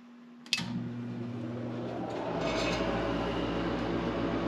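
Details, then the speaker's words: Forced-air garage heater, first start after replacing the heat fan to cure a long-standing rattle and vibration: a click, then the combustion exhaust inducer blower spins up to a smooth, steady hum with no rattle; clean startup. "so that initial blower is going to be the exhaust for the uh combustion"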